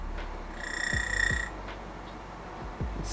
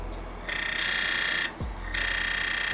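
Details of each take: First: DF64V grinder fitted with SSP HU burrs, zeroing at 1800 rpm: a steady high-pitched whine over a low motor hum. It sounds like shimming, but it is not. Normal grinder motor whine. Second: DF64V V2 coffee grinder with SSP High Uniformity burrs, adjusted to zero to demonstrate; motor hum broken by bursts of piercing high chirp and fast ratcheting squeal as the burrs touch; burr rub.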